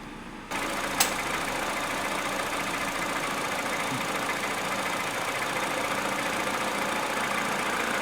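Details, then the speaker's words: Peugeot 207cc 1.6 at idle after the cooling system was refilled while fixing air con that would not work: a steady hum, then one sharp click as the AC compressor clutch pulls in. Normal engagement. "when I press the aircon button we should hear the distinctive click or the compressor cutting in"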